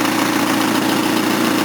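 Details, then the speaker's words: Engine of a 230 at idle: harsh, raspy, hollow puffing from a horrific exhaust leak at the engine pipe flange, wrongly flared so it won't tighten; new engine pipe needed. "well apart from it still having a horrific exhaust leak that sounds much"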